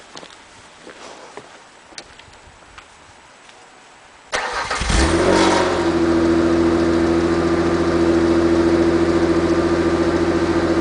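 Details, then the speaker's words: Ford Taurus after replacing the holed, rusted muffler and tailpipe: cranks, catches, and settles to a smooth, deep, even idle with no blowing or rattle; normal exhaust note after repair. "well that's much better than she was before sounds nice and low there I like it"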